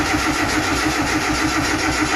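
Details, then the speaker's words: Nissan Micra RWD turbo project, first start attempt with no fuel and fuel pump not wired, bigger battery connected; even, rapid starter churn that turns over but never catches; cranking without starting. "this isn't gonna run there's no fuel in this thing and the fuel pump isn't wired up"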